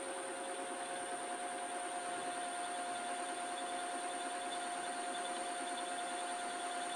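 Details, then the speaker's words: Lathe facing rusty stock for a Schaublin SV-51 variator shaft, low-force insert, setup rattling even after tightening: thin steady high whine at one pitch over soft hiss; cause not confirmed. "I'm using an insert which has quite small cutting forces. It helps with this kind of equipment. It's whining."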